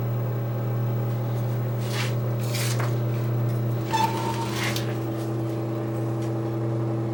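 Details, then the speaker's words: Breville Smart Convection Oven that had stopped heating, powered on after repair: steady low mains hum with a constant fan tone and a few light clicks, heating as it should; normal operation. "But yeah, it's getting hot, so it's working. It's working. Excellent."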